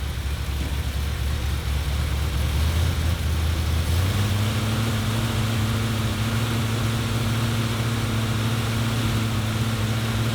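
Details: 1977 Ford F-250 460 V8 with automatic, after the distributor is reinstalled and timing reset. Deep, steady low rumble at a raised idle with no misses or knocks: normal fast idle.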